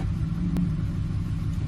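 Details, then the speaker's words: 2007 Ford F-150 5.4L 3-valve V8 idling with P0302 dead misfire on cylinder 2 (second back, passenger side), present at idle or load, fuel smell; low uneven lumpy stumbling rumble, traced to a loose spark plug. "you can see that's a dead misfire it's pretty bad smell of fuel and everything"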